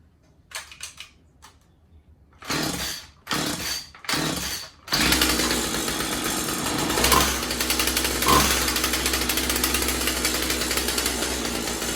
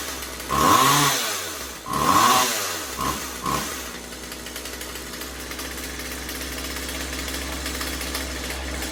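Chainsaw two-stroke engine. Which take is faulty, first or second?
first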